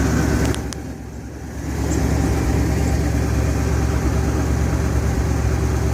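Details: 1971 Ford F100 Explorer, 302 V8, cold start: deep, steady burble with an even, unbroken beat and no knocks or misses; healthy idle.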